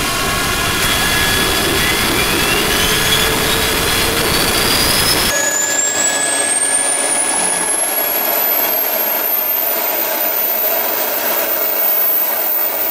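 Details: DIY gas turbine P17 on its first start-up: a thin whistle climbs steadily to a very high pitch as it spools up, then holds over a smooth rush; the turbine runs cleanly; normal running.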